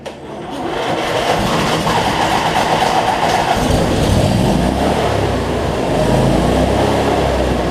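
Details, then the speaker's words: Cub Cadet zero-turn mower, Briggs V-twin, after bending governor arm in because over-tight spring made it race out of control; no more black smoke from running rich; catches and settles to smooth, even speed, no hunting; normal running. "so much better though no black smoke so so all right let's see we got multiplied here so that's much better"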